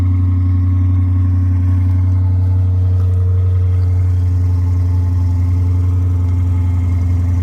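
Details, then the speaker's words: Stock exhaust baseline before exhaust work, on a newly acquired car: a deep, steady low exhaust rumble with an even, unremarkable beat, a normal healthy stock idle. "All right, so we're in here. And this is stock. Nothing to brag about. Nothing to listen to."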